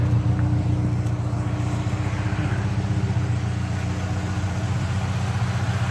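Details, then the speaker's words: Saab Aero just started after a head gasket replacement, still mixing oil and coolant and smoking heavily: deep, heavy idle with a loping, unsteady pulse around four beats a second, running rough. Owner suspects the cylinder 3 sleeve, not confirmed. "look at that it started up okay sounds rough yep here comes the smoke here it comes"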